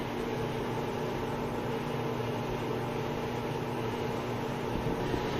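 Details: 2001 GE Spacemaker XL1400 microwave, which died from a shorted magnetron and HV diode: even, steady hum with a faint fan whoosh and no clicks or buzzing; running normally.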